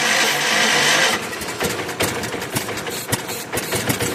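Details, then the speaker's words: 1981 Allis-Chalmers 912 Hydro tractor, Kohler K301 engine, after new generic carburetor, rebuilt fuel pump and ignition work: uneven starter churning about three strokes a second, never catches; won't start though fuel reaches the bowl. "That should have been enough cranking to at least get fuel into the bowl. Yeah, we got fuel in the bowl."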